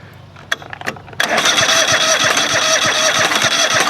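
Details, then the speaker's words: Craftsman GT5000 lawn tractor V-twin during woodruff key replacement work: sharp ticks and pops while cranking, then a rough, uneven, stumbling run that won't stay going. Owner suspects the left bank runs overly rich and the left coil pack fires at the wrong time. "I'd say that R not it doesn't happen all the time and it's not running well enough to keep"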